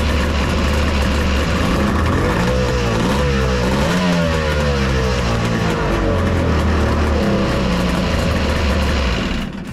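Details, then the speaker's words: Three-cylinder two-stroke 1200 R engine in a mini jet boat with triple pipes, header re-welded and midpoint pipe brace added: crisp even crackle rising and falling with throttle, no misfire; all three cylinders firing, sounds good. "well all three look like they're firing yeah that sounds sounds good"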